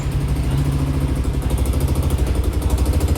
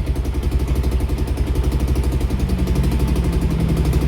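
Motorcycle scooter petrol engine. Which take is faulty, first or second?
first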